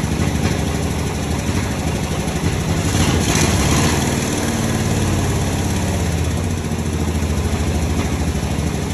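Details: 1961 Dodge Power Wagon, tired old Poly 318 V8, first start on a gas bottle feeding the carb: deep, fairly even rumble at steady idle with a slight rise, now running on all 8 cylinders.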